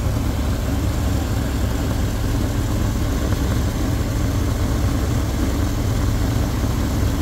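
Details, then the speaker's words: 1972 Lincoln Continental Mark IV, after topping up a low power steering reservoir: smooth, even idle with steady low rumble and no whine; power steering now quiet and normal. "you don't hear the wine anymore because I feel the power steering reservoir so it sounds much better"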